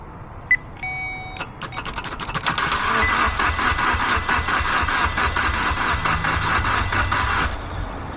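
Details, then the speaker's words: Mitsubishi Evo X towed in with no-crank after a replaced key antenna, starter kicked manually via the starter relay: a few beeps, then even, quick cranking for about six seconds without catching; immobilizer suspected, not confirmed. "So, it cranks over. Uh, doesn't seem like it wants to start, though."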